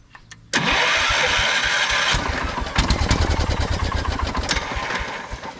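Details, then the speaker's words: 1979 Kohler K301 12 hp primed with dribbled fuel: fires briefly, then stumbles into ragged pops and dies; fuel starvation, suspected dry or bad fuel pump or gummed carb; main jet found corroded and plugged, float bowl gasket leaking. "the fuel pump is probably dry so it's not sucking the fuel up probably otherwise it's just a bad fuel pump or the carb is gummed up"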